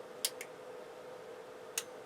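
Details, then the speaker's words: Yamaha CR-820 receiver under restoration, at switch-on with the original driver transistors refitted in one channel and no load connected: two crisp clicks about 1.5 seconds apart as the protection relay engages normally, then a square wave appears on the output. "relay click and we have Square wave on the output"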